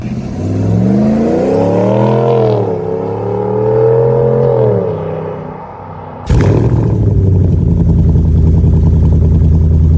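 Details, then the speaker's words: RAM 1500 5.7 L Hemi V8 petrol after replacing cracked factory exhaust manifolds with Manta manifolds, morning start: deep smooth V8 rising and falling through two blips, then settling to even idle with no ticking; tick gone, normal revving. "And uh you'll hear very clearly that the tick has completely gone. Listen to that. Love the sound of the V8 in the morning."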